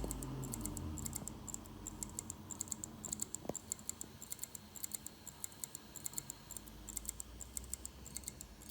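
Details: Six-month-old LaCie Rugged 4TB USB-powered 2.5-inch drive, out of its case: faint, uneven ticking of about two clicks a second over hiss. The drive isn't recognized by Mac or Windows; failure suspected.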